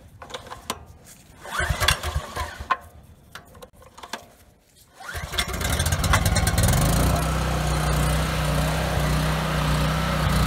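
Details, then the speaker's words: Husky generator with Subaru EX30 engine, 7 years old, cold night, light bulb load; pull-start then single-cylinder hunting at light load, choke stops surge; lean surging, likely dirty carburetor. "Not bad. So surging a little bit. If I put the choke on a little, the surge goes away, which tells me I'm not getting enough fuel."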